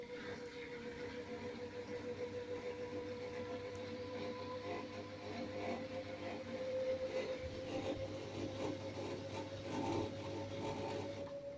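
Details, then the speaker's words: LG FHOH3NDS1 washing machine bought March 2019, during spin: steady whirring hum rising in pitch as the drum speeds up, heard and felt on the right side wall, with a slight burnt-rubber smell; new, intermittent noise. "Стиральная машинка издает странный звук сбоку, вот с этого бока, и легкий запах жженой резины."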